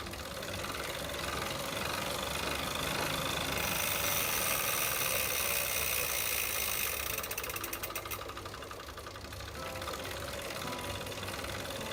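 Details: Tacx Flux bike trainer: rough gritty grind with a quick repeating catch, about three or four per second, under the trainer's whir; something inside is dragging.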